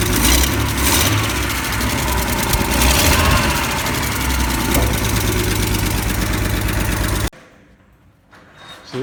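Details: Ford F-series highboy truck with a freshly fitted engine and gearbox, replacing the old engine that threw rings and leaked oil: quick start to check an earlier noise is gone; catches and settles into an even, throaty idle with no knocking or misses; carb not yet tuned.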